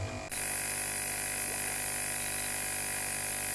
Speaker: donc en fait c'est l'aérateur qui donne de l'oxygène aux bactéries aérobies qui sont responsables de traitement